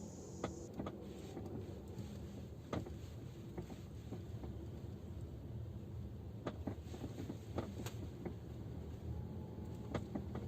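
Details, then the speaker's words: Geely Atlas driving over rough forest road: sharp irregular knocks from the rear cabin, caused by the rear seatback latch mechanisms knocking at the latch eye on both sides; temporary fix wrapping them with electrical tape. "Как оказалось, это стучат механизмы защелкивания спинок задних кресел. Послушайте, как это звучит на ходу."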